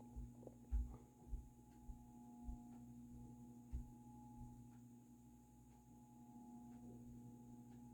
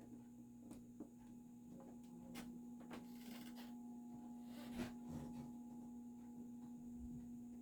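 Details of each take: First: Dayton 60" industrial ceiling fan 4C721, cast-iron motor, slow low speed on a solid-state control; quiet steady hum with slight cyclic buzz, which is normal; motor not very noisy. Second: Dayton 60" industrial ceiling fan model 4C721, cast-iron motor, started on low; steady electrical hum with scattered knocks but no blade rotation as it stalls, owner suspects stiff bearings with a tight spot that may need replacement.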